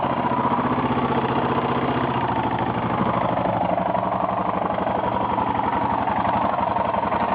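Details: 1992 Yamaha XT600E 3TB single-cylinder idling: even beat with quick, rough tapping clatter over the exhaust; owner unsure of cause of knock or tick at idle.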